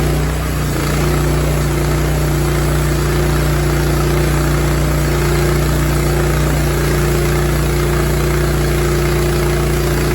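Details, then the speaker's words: Rima sawmill cutting a 20-ft 3¼" pin oak slab: steady engine drone under load with a constant droning tone from a loud new bearing, less bad than before; chassis vibration persists after tightening bolts. "all right so you could probably hear that bearing and just hit spin it didn't sound as bad as it was before"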